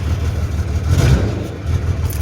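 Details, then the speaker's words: 2003 Dodge Ram 2500 common-rail Cummins diesel with a crank-no-start, now running with the third, suspect injector capped off: deep, lumpy rumble with uneven beat through a light rev; misfire running on five cylinders. "so it's only running on five cylinders right now so it sounds like but it's running"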